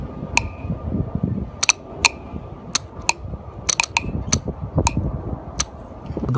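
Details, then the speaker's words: Hyundai Accent (2005-2011 Hyundai/Kia) with a P0496 EVAP code, EVAP vent solenoid bench-tested with power applied: a sharp, crisp single click each time power is applied, clean and repeatable. The valve switches properly. "all right so we got everything hooked up and just listen for the click [Music] so you guys can clearly hear the click"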